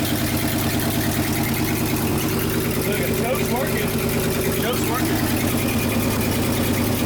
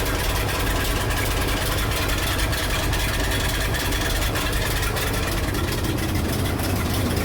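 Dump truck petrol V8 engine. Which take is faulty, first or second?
first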